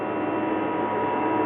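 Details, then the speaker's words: Toyota Prius under the hood with the AC on: the electric air compressor and fan kicked on, a steady loud whirring hum with a fixed tone and airy rush, running normally. "let's found you here is the air compressor and apparently the fan right here kicked on also here in a minute"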